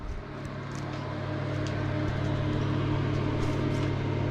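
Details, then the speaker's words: Victron Phoenix feeding a Multiplus in series, 6 kW combined maximum (4 kW plus 2 kW) with A/C off: low even hum with faint steady buzz holding at full load, inverters operating normally. "running like a dream no problem no freak out nothing six kilowatts there's the maximum output of both inverters now four kilowatt plus two no problem"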